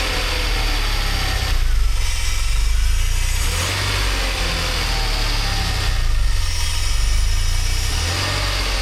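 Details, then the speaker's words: DeLorean (manual) cold start months later after fuel, lambda and idle system work: steady low idle with slow gentle surge every few seconds, no knocks or ticks; sounds healthy. "Several months later. That sounds pretty good."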